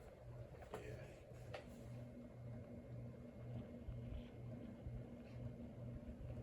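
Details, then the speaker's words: Antique Westinghouse ceiling fan on a solid-state speed control, recently oiled after being stiff: soft, uneven low thumps about twice a second under a quiet hum. The rhythmic thumping source is unknown. "oh I can hear the puming a little more now I think because so many"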